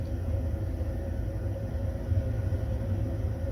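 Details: Baxi Combi 133 HE Plus combi boiler after replacing the faulty PCB (board fault): turned on, fan running and fired up with no red light; steady low burner rumble with even fan hum, no surging or cutting out, running normally.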